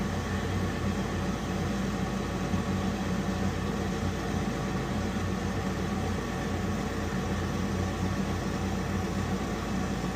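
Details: Weil-McLain HE boiler (integrated control 1013-200) firing after ignition: steady loud inducer fan roar, low hum, rough buzzing vibration; technician says it sounds tired.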